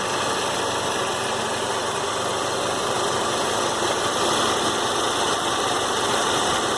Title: Warm Saab 93 2.0t clicking sound at 3000 rpm